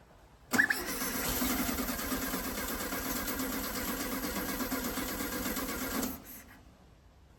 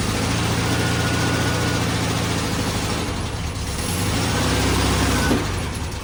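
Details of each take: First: 1969 VW Beetle not started in 33 years, first start attempt after fitting a makeshift fuel line: the starter spins the engine at a steady, even rhythm for about five seconds but it never catches. Cranks but won't start; carburetor needs cleaning. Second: 1969 VW Beetle idling after first start in 33 years, points cleaned and carburetor rebuilt: low loose chuffing idle with slightly uneven beat.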